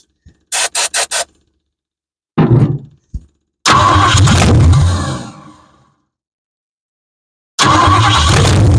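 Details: 1973 Ford Mustang convertible 302 V8 on straight manifolds with no exhaust, first start: short cranking bursts, then it catches loudly, fades and dies, won't hold idle, runs rough; old carburetor blamed.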